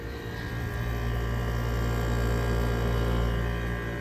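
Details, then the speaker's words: 2023 General Electric 5,000 BTU window air conditioner, compressor heard up close while cooling; smooth steady low hum with no rattles or surging, compressor sounds okay; normal compressor hum. "Yep, the compressor sounds okay. It's just working good."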